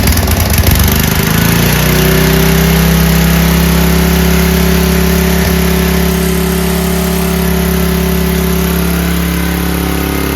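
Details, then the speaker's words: Free 5000 W Powerback gas generator after a carburetor replacement, new fuel lines, filter, petcock and spark plug, and an oil top-up from low: it catches and settles into a smooth, even drone. Runs normally. "runs great."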